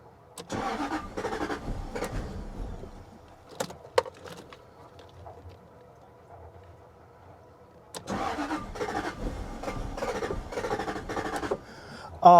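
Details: Jaguar XK8 that stalled while running: charging, oil pressure and fuel pressure were present. Two stretches of even starter cranking with a pause between, never firing. Crank, no start.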